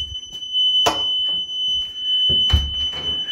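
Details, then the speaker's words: Constant thin high-pitched whistle under a few knocks and rustles, heard only in this bathroom, not electrical, not an alarm, persists with the light off and grows louder; source turned out to be the toilet. "If I turn off the light, it still resonates and it just gets louder and louder and louder. I've never encountered anything like that before."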